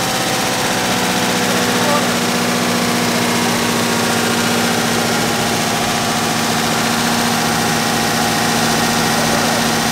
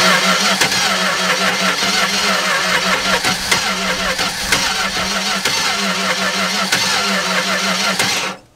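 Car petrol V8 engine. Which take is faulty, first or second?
second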